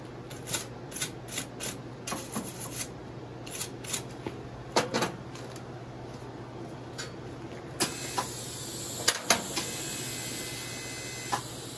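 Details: Vintage Econo TIG welder after control board repair and updated high voltage impulse transformer, welding a project; handling clicks, then a steady hissing arc with thin high buzz for several seconds, normal welding arc.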